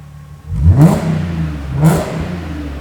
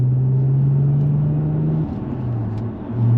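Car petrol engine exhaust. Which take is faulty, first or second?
second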